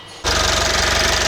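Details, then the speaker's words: 2012 Mitsubishi Outlander 2.2 DI-D diesel with EGR fault P2413, just after start following EGR cleaning: runs rough with rapid even knock over idle; soot from cleaning got under the valves. "це я чистив отут сажу видно попала сажа під клапана потрібно бути з цим обережним"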